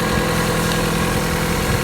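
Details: Opel Corsa 1.4 16V petrol engine after the misfire repair: steady, even idle hum with no stumbles or misses.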